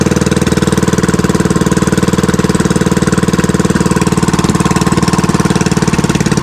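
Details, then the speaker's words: Fishing-boat (bangka) engine running smoothly after its earlier misfiring was fixed, with the shaft (ehe) tied so it can't fall from its bushing; an even, steady single-cylinder beat at idle, about four pulses a second, with no misses or knocks. "Y ayos Walang kapalag-palag mga baka maganda yung tining ng ano niya ng ehe."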